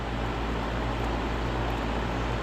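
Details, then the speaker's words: Goodman heat pump outdoor condenser fan motor, checked after a clunking complaint; roof drains ice onto the unit. Only clicking heard so far, no clunk: steady whooshing drone with an even low hum. Normal fan operation. "door fan motor so far the only thing I've heard on it is the clicking noise has not made that clunking noise"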